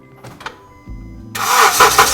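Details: 2009 Honda Civic (8th generation) that would not start, battery at 12.5 V: with the key held in start, a couple of hammer taps on the starter make it engage briefly and the engine catches and runs; failing, sticking starter motor needs replacing.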